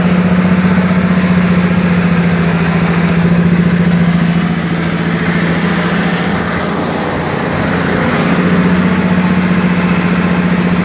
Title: Engine knocking